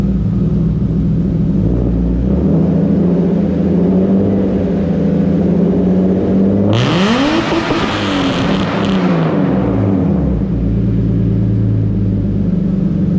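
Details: BMW E36 325is with new custom stainless exhaust and resonator but no muffler: deep booming idle, then a sharp rev climbing and falling back; very loud drone, owner ordering a muffler tip.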